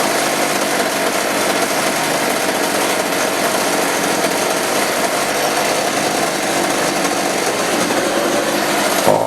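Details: Chainsaw that wouldn't rev, after carb adjustment: high, steady, raspy buzz at full speed without surging or bogging, then cuts off; runs properly.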